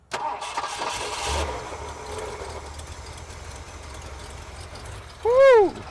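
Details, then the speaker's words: Abandoned 1970s Ford pickup that sat 25 years, first start after getting fuel up: it cranks, catches and settles into a quiet, even low idle with no misses. Smooth, normal idle. "Listen to it run. Oh, it's smooth."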